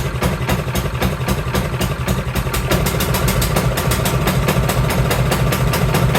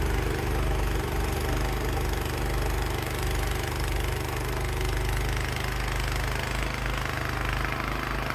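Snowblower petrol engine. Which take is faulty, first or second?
first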